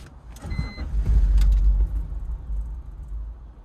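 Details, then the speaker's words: BMW E46 325Ci with misfires on cylinders 1–3 (codes P1343, P1345, P1347, P0444, P0102), after rebuilt fuel injectors were fitted: the starter cranks, the engine catches with a brief roar and dies instantly. Owner suspects the fuel line still needs priming. "instant death let's go again"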